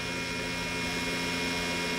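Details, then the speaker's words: Rinnai R94LSi tankless water heater running very loudly: a constant hum with an airy roar from the failing exhaust fan, which needs replacing. "today we're working on a rinnai r94 ls water heater as you can hear it's running very loudly"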